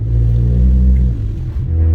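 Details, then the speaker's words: 416 GTi: heavy, booming low drone while crawling along at light throttle, far too loud; exhaust leak. "worst thing about this is when you're just going slowly and it's making all that noise"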